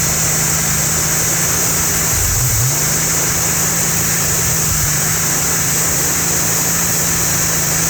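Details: Holden 202 red six test-bed engine with rebuilt early Mk1 TBI throttle body, just started after priming: steady even low hum under a loud constant hiss, one brief blip, settling into a smooth regular idle; idling beautifully.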